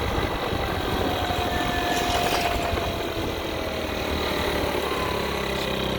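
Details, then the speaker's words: 50cc two-stroke scooter after fitting a used cylinder, piston and rings (about 3,800 miles) for low compression, carburetor re-tuned, riding: steady even buzz holding revs, no misfire or knock; running properly. "the scooter had about 3 800 miles on it that they pulled it off of i put it on here clearly this thing is running now it's taking throttle i re-tuned the carburetor seems to be taking throttle feels like it's got some pull"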